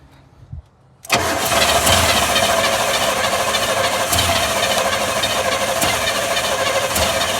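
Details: 1980 GMC Sierra/Chevy C20 crew cab, 454 big block: cranks and fires within a second, runs unevenly at fast idle on the priming fuel; runs briefly, tune-up planned next.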